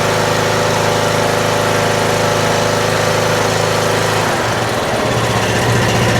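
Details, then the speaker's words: Troy-Bilt Pony riding mower, first start after fixing loose fuse-block connection, oil just above minimum: steady, even idle with firm low throb and slight pitch shift near end; idle a little high but throttles up and back down, normal. "Well, does seem like the idle's a little bit high, but that throttled right up and went back down to idle."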